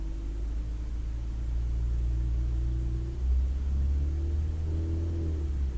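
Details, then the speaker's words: 2009 Ford Fiesta Mk7 1.25 petrol, warm and past cold-start idle, held at 1500 rpm after spark plug replacement: even, smooth hum with no stumble. The misfire between 1500 and 2000 rpm, which followed driving through floodwater, is now cured. "it was missing in between fifteen hundred and two thousand so yeah so we've cured that"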